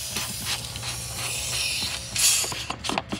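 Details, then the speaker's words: Van with unexplained, worsening coolant loss, coolant burning and slight misfire; sharp hiss as cap is cracked on cold engine, cooling system still pressurized. Cause suspected, not confirmed. "level went up a little bit it is staying pressurized though that's really interesting"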